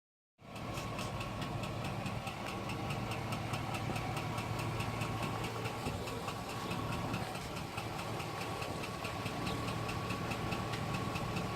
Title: Engine knock # 2 2005 GMC Sierra